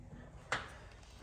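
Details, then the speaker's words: Turbo Honda Civic front wheel rocked up and down: two dull clunks about three quarters of a second apart from hub play; owner suspects a failing wheel bearing causing uneven tire wear, and tie rods are also due. "pretty sure the wheel bearing is going and unfortunately that is doing this uneven uh wear"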